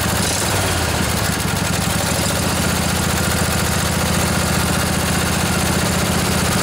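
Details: Revived junkyard Briggs & Stratton Intek OHV twin, 20–22 hp, model 40777, in a Husqvarna riding mower, with a new carburetor: even, steady idle with a smooth low pulse and no knocks, misses or surging; running healthy.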